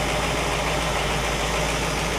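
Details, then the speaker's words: 1960 Pontiac Catalina 389 V8 idling on a Heathkit IO-20 ignition oscilloscope: steady, even idle with smooth low hum, no knocks or misses; good running engine, ignition spot on. "so we've got a good running good working tester and a good running engine"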